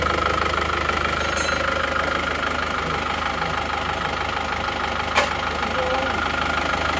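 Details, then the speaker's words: Isuzu Panther diesel at idle after fitting Elf injectors: runs evenly now but a light, slightly uneven tek-tek ticking about three times a second rides over it; source unconfirmed, possibly a loose rocker, injectors also suspected. "Nah ini setelah kita pasang nosel Elf itu kok rata tapi kok ada suara tek-tek gitu"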